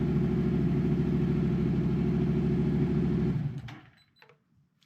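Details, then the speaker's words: Yamaha MT-07 turbo build, first start after a full CP2 twin engine rebuild; smoke is only fresh exhaust paint burning off. Steady, even thumping idle at about three beats a second, then a clean shutoff. Normal idle. "Well, I'm no bike expert, as you know, but that sounds like my bike."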